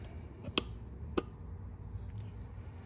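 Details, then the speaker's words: ES192 12/24 V relay tester with a four-pin relay while set to five-pin: a couple of sharp isolated clicks, no open-close cycling, red light; wrong selector setting, not a bad relay. "okay so it clicks once reading the relay but then it automatically goes to a well not automatically but when you push in the button it goes to a red light um and that indicates one of two things the relay's bad or you have it on the wrong s selector switch"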